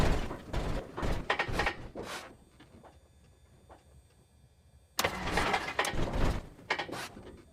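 Bursts of cranking and sputtering, then a long quiet gap before another rough, popping attempt; the engine is reluctant to catch.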